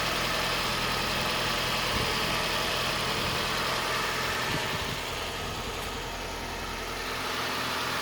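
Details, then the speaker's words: Toyota Starlet rebuilt from a parted-out car, after an earlier squeal and bang that sorted itself out: steady, even idle with constant hum and airy hiss, no knocks or misses. The engine runs smoothly and sounds healthy. "again looks and sounds fine sigma you can see why i love these things"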